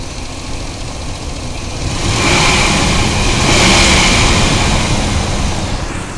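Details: Ford F-150 5.4L Triton V8 revving: faint steady whine over the engine rising with revs, caused by a bad belt tensioner.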